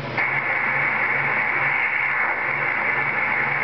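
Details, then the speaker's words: CB radio, right after unkeying: steady rushing hiss with a bright upper edge and a faint slow pulse, a laser-like whoosh; operator suspects a reflection of his own signal, cause unclear; radio hiss after unkeying. "I can hear that weird whooshing noise when I stop talking. Some kind of weird whooshing noise."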